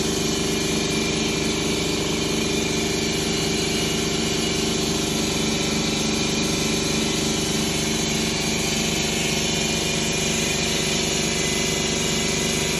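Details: 2011 Ford Escape 2.5L at idle with codes P0300–P0304 and a misfire on cylinders 2 and 1: an uneven, lumpy pulse under a hiss. The cause was a broken valve in cylinder 2 causing low compression, found after removing the engine.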